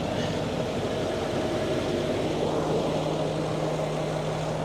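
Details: Range Rover L322 3.6 TDV8 diesel idling after a genuine OEM fuel filter replaced a leaking aftermarket one, underside still clear of drips; steady even idle with smooth low drone and no knocks or stumbles, normal idle.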